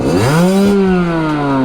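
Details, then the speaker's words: Sherco 50 supermoto AM6 two-stroke, tuned and geared, screams up then hangs at the top: map one limits revs at 11,500, map two at 12,000, and the engine is out of power by that point. "12. so yeah map one's only letting go to 11.5 map two's twelve"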